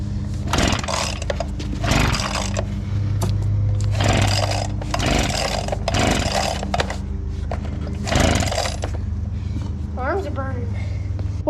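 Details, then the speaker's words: Old abandoned Echo two-stroke leaf blower: surges and bogs in bursts about every two seconds, never holding idle, choke possibly on; spark issue and bad spark plug suspected. "I think we're having a spark issue sounds like it's getting better though oh yeah it's getting better but not that much"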